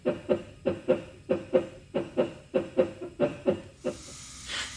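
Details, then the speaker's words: 2006 Toyota Highlander Hybrid, pedal pressed with code B1421 stored: brake actuator pump runs in rhythmic bursts for a long time instead of brief cycles, then hisses; internal leak in the actuator, no fluid lost, unit needs replacement. "So instead of cycling in these brief cycles, it ran for a while because at the end we will realize there is a internal leak. That's why we are not losing any fluid."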